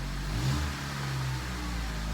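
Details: 2003 Honda CR-V, first cold start after timing chain repair, no check engine light: short blip of revs rising and settling smoothly, even exhaust note with no rattle or tapping; normal revving, owner suspects only a bad muffler.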